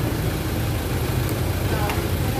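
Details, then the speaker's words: Car with a dead 12V battery, jump-started from a running motorbike's 12V battery: after some time connected the car started and now idles on its own while self-charging, so the clamps can be removed. A steady, even, smooth low rumble with no misses or knocks. "sau khi câu bình qua một lúc thì xe nó nổ rồi các bạn khi mà nó nổ rồi nó tự sạc rồi thì mình có thể mình tháo ra các bạn"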